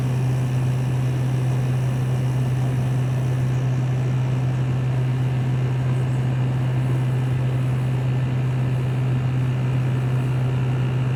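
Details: LG 6000 BTU window air conditioner running, recorded from outside facing the compressor: steady low compressor hum under a constant fan rush, no rattles or cycling, normal running.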